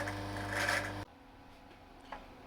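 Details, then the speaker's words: Vevor vacuum pump on a home-made vacuum fruit dryer, second attempt, at deep vacuum: busy rattling drone about a second before cutting off, cause not pinned down; motor running unreasonably hot but not burned out. "vacuum so that's rattling again so I don't know what to take from that um the motor is still unreasonably hot for a motor but it hasn't burned itself up so I don't know"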